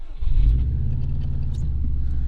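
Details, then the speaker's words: Bugeye Subaru WRX starting after a new Subaru coil pack was fitted to cure a misfire. It starts right up and settles into a steady, even, quiet idle with no stumble. "all right she started right up sounds good quiet but hey so we'll go ahead and take this thing for a test drive"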